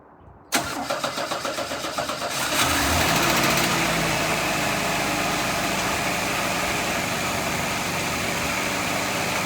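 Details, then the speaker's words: 1988 S15 truck, first start in years after sitting and a new battery, oil clean and full: starter cranks about two seconds, engine catches cleanly and settles into a steady, even idle with no knocks: normal start and idle. "I don't know how long this has been sitting, but she runs great."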